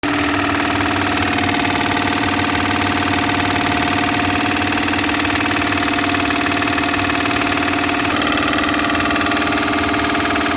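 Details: Dual-stage high-efficiency furnace inducer motor: loud, steady drone with a rough, intermittent rattling buzz from a cracked plastic fan wheel, which stops the furnace reaching the heating stage; full motor assembly must be replaced.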